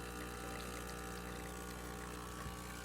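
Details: Breville Oracle espresso machine after service that replaced the buzzing component and all boiler gaskets: test shot with a steady low pump hum and soft coffee trickle, no buzzing or rattle; running normally.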